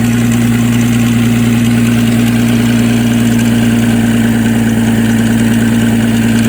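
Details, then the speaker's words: 2004 Nissan Maxima with stall/fast-idle problem, started after battery boost: steady idle with light metallic rattle under the engine note; owner suspects timing chain, unconfirmed: engine rattle at idle. "she's still rattling a little i think she needs a timing chain man you don't sound good"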